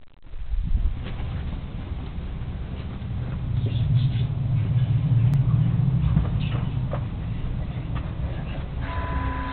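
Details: Ford 6.0 Powerstroke diesel cold start after sitting about 10 hours at 75°F: deep, uneven rumble that wavers and stumbles for several seconds; owner suspects bad injectors or glow plugs, unconfirmed.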